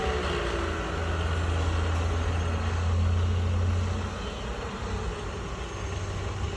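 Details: Sharp LCS 3-axis CNC vertical mill (2003) with ACU-RITE MILLPWR control, head speeds run from 2,000 to 3,600 RPM: smooth low hum rising then settling at about 1,500 RPM, no knocking or grinding; spindle and head sound good.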